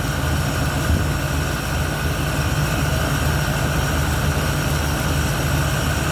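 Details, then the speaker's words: 1971 Ford Torino, rebuilt 302 V8 with C4, warm, after slight carburetor idle mixture tweak (was a little lean): steady, even idle with deep low rumble, no misses, knocks or hunting; revs and idles clean. "It revs clean. It idles clean. Carburetor didn't need much adjustment at all."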